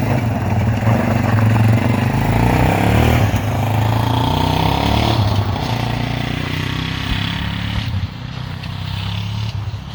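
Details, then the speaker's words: 1998 Warrior quad after its loose spark plug was replaced with the correct tightened NGK. Ridden through the gears on ice under light throttle, the single thumps steadily with no knocks or rattles. Normal healthy running. "sounds healthy how was it Oh how's it all just work good yeah she smooth the steering is ever so effortless"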